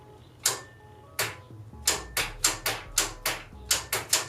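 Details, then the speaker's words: 1980 Honda CB750 engine, freed after seizing from sitting, with a loose ignition wire, pressing the start button: about a dozen sharp, uneven dry clicks, two or three a second, no cranking; starter solenoid suspected, not confirmed. "Alright, that sounds like a starter solenoid."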